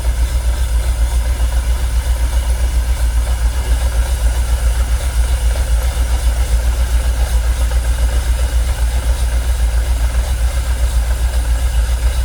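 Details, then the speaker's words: Jaguar XKR, fuel pumps dormant ten years, fuel pressure gauge on Schrader valve reading 45 psi: heavy, lumpy idle pulsing about four times a second with uneven beats, engine visibly shaking; rough idle, cause not yet found. "You see it's still not happy, look. You can see the engine shaking."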